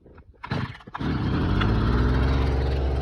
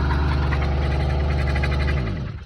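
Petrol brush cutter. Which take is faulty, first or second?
second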